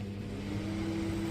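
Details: 16-year-old LG microwave fan motor after cleaning dust and rust, oiling the bush: steady, even hum with clean low tone, no scraping or rattle; fan now runs smooth and quiet, previously noisy for a minute or two after sitting 6–7 hours.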